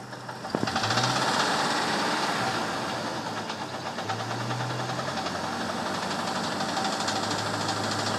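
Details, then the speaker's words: 1998 Jeep Wrangler TJ four-cylinder throttled up from inside, steady knocking about three beats a second; owner unsure if lifter, piston skirt or transmission, Lucas oil stabilizer may have quieted it slightly; cause not pinned down. "ou know, I'm not sure if it's lifter noise. It almost sounds like it might be coming from the transmission too."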